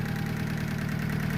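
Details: Honda Civic with a freshly installed D16Y7 engine, first start after install, cold idle: steady but with a fast, light ticking clatter, a noisy top end; owner had adjusted the valve lash and hopes it quiets once warm, cause unconfirmed.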